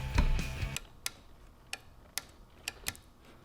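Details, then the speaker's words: Mazda Miata MAP solenoid bench-tested with 12 volts while chasing an engine code: sharp, clean single clicks, a handful over a few seconds as power is applied; the solenoid works, so it is not the fault. "listening for the click okay that works"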